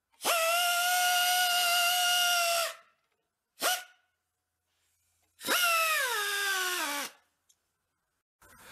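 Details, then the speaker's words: 1967 Ski-Doo snowmobile after 25 years sitting on a trailer: loud high-pitched squeal bursts, one sliding down in pitch as it slows, from a dry moving part, cleared by blowing it out with compressed air and oiling behind it. "I ended up just blowing it out with the compressed air and shooting oil in behind it seems like it's doing what it should"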